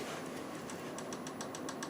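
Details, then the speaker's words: Fellowes AeraMax DX95 air purifier fan after replacing the failed 120 µF 400 V capacitor: steady airy whoosh with a faint regular tick about seven times a second; fan runs again but wobbles slightly, needing adjustment. "are back up and running I think I needs to look at the adjustment on that cuz it's wobbling a little bit"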